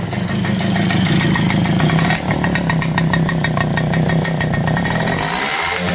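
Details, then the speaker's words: Super XL motorcycle single-cylinder engine idling and revved after silencer was cleaned by burning out and refitted; steady ticking with even rapid exhaust pulses, no knocks or misses; normal idle. "వేగవంతం చేసి చూద్దాం. శబ్దం ఎలా ఉందో చూడండి, ఇది అసలైన శబ్దం."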